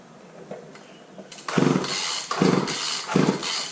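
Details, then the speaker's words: Wheeled walk-behind string trimmer with a pull start, good compression, primer unable to prime: three pull-cord cranks, each a short whirring burst that never catches. No start because there is no fuel. "So that's obviously we don't have any fuel in it."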